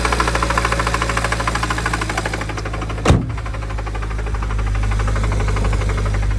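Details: BMW N54 engine: fairly quick, somewhat uneven knocking over the running engine, then a thump; engine knock of unclear origin, suspected either a faulty AC compressor or rod knock.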